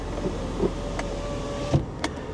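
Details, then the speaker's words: Salvage BMW X5 with damaged driver-side suspension: a brief smooth motor hum as each power window glass travels, with soft clicks at the stops. Both windows work normally. "Important window works. Less important window works."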